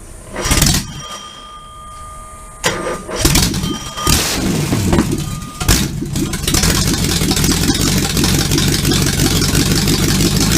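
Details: Supercharged V8 in a 1959 Vespa microcar, first-ever start attempt: a few cranks and coughs, then it catches and settles into a steady, lumpy run with throttle blips; starts and runs normally.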